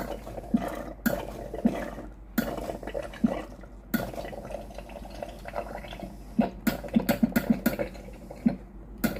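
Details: Philips GC9682/80 steam iron, ready but soleplate heater cold: irregular wet ticks and spits with no steam hiss as water drips out instead of steam; faulty relay (ALDP124).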